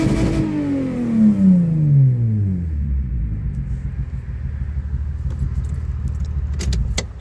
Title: TOYOTA SIENNA WITH AN EXHAUST LEAK SOUND